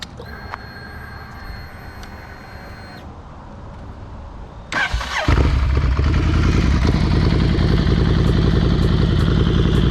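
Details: Rebuilt wrecked motorcycle, build just completed: quiet at first, then the starter catches and the engine fires into a steady, even idle with a regular beat; healthy start.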